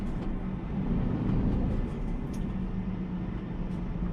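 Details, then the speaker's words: Heavy manual lorry with 4-over-4 8-speed gearbox, loaded, pulling away from a standstill in 4th gear; deep diesel drone strains without gaining revs, engine labouring under load in too high a gear. "we're just going slightly uphill here still in force you can hear it's really really really struggling out the roundabouts"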